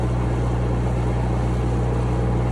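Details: Cummins 4BT four-cylinder marine diesel generator on a 94' Broward yacht, after replacing fouled injectors that caused smoke and water sheen; no smoke now. Steady, even low diesel drone, no misses, knocks or hunting; normal running.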